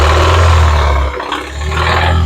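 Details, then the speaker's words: Engine revved to reproduce the noise, with no oil light on: a deep roar with a rough clatter underneath that comes up with revs and is louder toward the bottom of the engine. Rod knock, confirmed by teardown. "Mitchell how you noticed you have to kind of rev it to get that clatter we want to continue to duplicate that"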